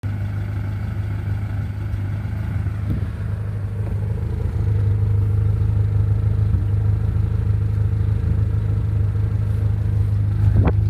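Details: 1990–91 Honda Civic hatchback, B20 engine, HKS exhaust: steady even low idle rumble with slight lift, no puffing or ticking; exhaust sealed and quieter than with the earlier leak.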